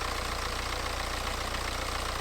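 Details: BMW 118d, N47 2 L diesel, after replacing the rattling, leaking water pump and refilling coolant, running to check for leaks: even, regular diesel clatter at idle, no rattle or whine on top; engine healthy and settled.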